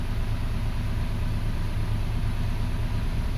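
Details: 2005 Toyota Passo on its original ECU, coil power-supply fault fixed, all three coils now single firing as intended after an intermittent no-start; low, steady, even idle, no stumble or knock; normal idle.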